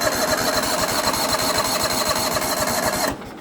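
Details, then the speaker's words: Yamaha YT6800 machine, torn down with stale fuel and carbs not yet done: steady starter cranking about four beats a second for three seconds, never fires; oil pressure light goes out; cranks, no start. "let me do a quick crank on this one here as well just to show that will crank but it probably won't start but it'd be kind of cool if it did start on camera"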